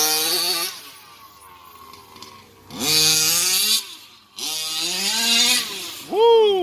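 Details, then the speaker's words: RC vehicle after fixing CVD pins with Loctited retaining rings and fitting a chainsaw one-way breather valve: high-pitched buzzing revs in short bursts, pitch sweeping cleanly with throttle, no bogging; strong power, wheels wobbling, healthy under power. "this was nothing how it was like how it was when I first got it guys it's got power in it now wobbles the wheels"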